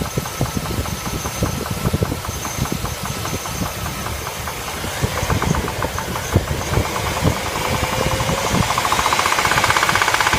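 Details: L35 engine starts and idles with a sharp, regular ticking knock, about four per second, over the idle; internal engine knock, cause unclear.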